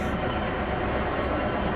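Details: Heyligenstaedt 400A/30 lathe, 32" swing x 222" centers, spindle wound up to 450 RPM top speed: steady even hum, no whine, knock or grinding; gearbox quiet and healthy.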